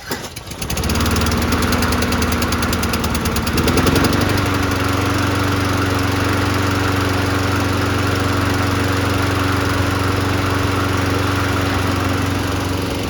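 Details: 1990s Toro GTS 2 550 mower, 5 hp Briggs & Stratton 124702, after carburetor repair and new air filter, started on choke in neutral: pull-start catches at once into a steady, even drone with no misses or knocks; running properly.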